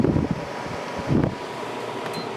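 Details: Idylis 12,000 BTU portable air conditioner, evaporator fan run alone at low speed: steady airy blower whoosh, even and unbroken, no rubbing or ticking; fan healthy.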